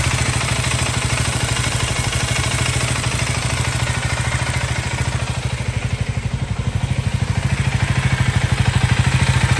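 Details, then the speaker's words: KTM Duke 390 Gen 3 (LC4C single) recorded on phone microphone: even single-cylinder thump at steady idle with light ticking combustion clatter, nothing irregular; normal healthy idle. "so there you have it uh that was the idling engine noise I mean idling engine sound from this motorcycle and uh I hope that gives you an idea of what it should sound"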